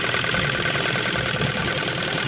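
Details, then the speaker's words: 2000 Ford Focus 1 1.6 petrol with unstable idle, power loss and a misfire on one cylinder: plug lead pulled with about 1 cm gap at idle gives fast sharp ticking, the spark jumping, so this cylinder's ignition works. "я роблю сантиметровий зараз примерно зазор там і оце чути що воно стукає це стукає то що пробиває Іскра"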